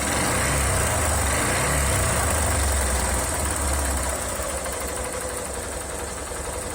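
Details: Honda Titan 150 motorcycle (2007) running with a rough, regular knock about four per second that eases as revs drop; engine damage suspected, not confirmed.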